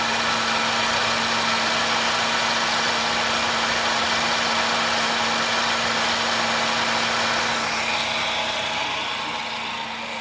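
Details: Idle after driving through a flooded street in Arecibo: a fast, steady ticking buzz over a constant mid hum with heavy hiss; abnormal engine noise since the flooding, cause unclear.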